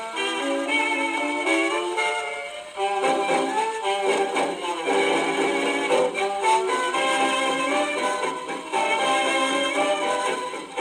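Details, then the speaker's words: Victrola 50 gramophone testing rebuilt reproducers: orchestral playback with a harsh, thin, buzzy edge on loud passages; distortion from record, needle or reproducer, possibly a delaminated used diaphragm, not confirmed. "All right, that sounds terrible. Is that the record? That the needle, or is that the reproducer?"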